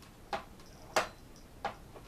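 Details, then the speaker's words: Upright vacuum cleaner lock: three sharp plastic clicks about two-thirds of a second apart as the upright latch slips when the release knob isn't pressed hard enough; repeated, this wears the mechanism. "you hear that clicking noise and if that's clicking it means you're not pressing it hard enough and if you keep on doing that it'll eventually wear away at the mechanism"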